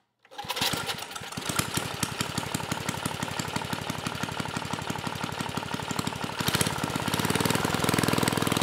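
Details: Mid-1980s Troy-Bilt Junior tiller, 3 hp Tecumseh HS35 engine (H35-45593R): at full throttle only about 2,400 RPM versus expected 3,000–3,600. Engine settles into an even but slow beat, barely picking up; governor spring tension adjustment planned.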